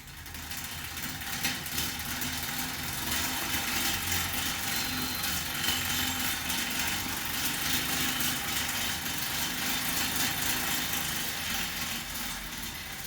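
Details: Newly assembled Assault AirBike Classic while pedalling: a rushing fan whoosh with a loose, rhythmic rattle that gets very loud as speed increases; tension and fan cage adjusted without success, chain looks fine, cause unknown.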